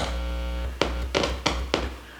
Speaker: let's go back one stage and see how that sounds okay I should hear a hum out of the right speaker